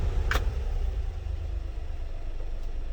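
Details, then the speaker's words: 1995 Honda Acty SDX 4x4, 660cc 3-cylinder, 5-speed, 106,000 km, after timing, water pump and full maintenance. The even low idle settles slightly lower and steadies as the AC compressor engages, a normal, healthy idle drop. "okay and that's with the ac on so let me demonstrate maybe you can hear the rpms"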